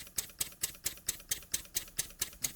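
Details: Jowitt Major poppet valve steam engine, first run after ~30 years unused, oiled, cam timing set, run on compressed air from a compressor; crisp, evenly spaced exhaust puffs about four a second with sharp valve clicks, no knocks: running smoothly and healthy.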